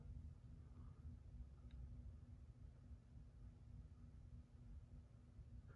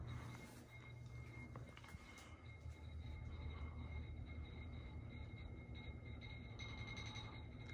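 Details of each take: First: 42-inch Hampton Bay Rockport three-speed reversible ceiling fan on low: very quiet low whoosh with a faint steady tone, no real motor hum, slight vibration and a barely audible bearing noise; running normally. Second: 42-inch Hampton Bay Rockport ceiling fan (2000, Air Cool, 3-speed reversible, polished brass, oak blades) on medium speed: steady low whoosh moving strong air, with irregular clinks and a faint glassy ring as the pull chain rattles against the light glass.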